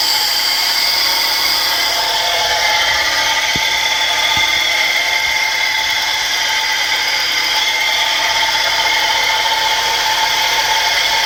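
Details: 1984 Mercedes 190E: steady high whir holding an even pitch over a quiet engine with no knocks; source of the whirring noise unknown.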